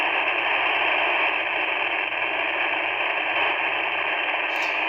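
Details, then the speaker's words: Handheld ham radio tuned to a repeater output: constant rushing, buzzy hiss on the quiet channel; radio frequency interference from a home network router, gone when the router was unplugged. "i have my handheld tuned to just the to the output of the repeater i have a simplex channel programmed in but this is what it sounds like and you'll hear the noise in the background"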